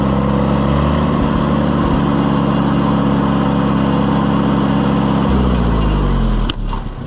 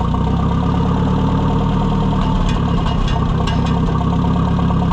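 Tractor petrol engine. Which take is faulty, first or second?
first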